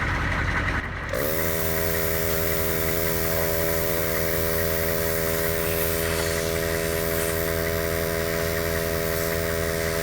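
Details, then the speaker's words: 150 PSI Pittsburgh (Harbor Freight) air compressor wired to battery positive and negative, inflating a food truck's big tire beside the idling engine; steady even drone with hiss after a short start, compressor sounding under load and pumping normally. "Alright, I think that thing's on there. The compressor sounds like it's under load, so it's getting in there."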